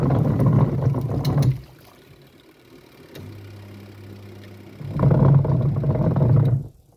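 Low uneven rumble in bursts while the tub agitates, quieting between strokes; a rough rumbling wash action, cause unknown.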